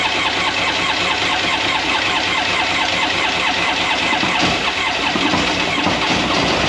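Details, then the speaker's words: 2001 Polaris Virage 700 jet ski two-stroke at first start, spark confirmed, plug possibly trashed, suspected blown; buzzy idle with a loose, raspy chatter over the exhaust, a rattle from the rear of unknown source. "Back here is rattling. There's a rattle or something from somewhere. I just don't know where."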